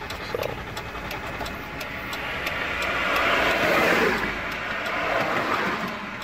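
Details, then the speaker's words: Chrysler Town and Country van that quit at about 35 mph, after dealership replaced TIPM and powertrain module: starter churns steadily for several seconds but engine never fires; crank no start, recurring three or four times since. "now it's just giving me cranking so I'm gonna sit for a second it just crank crank crank won't start there it is"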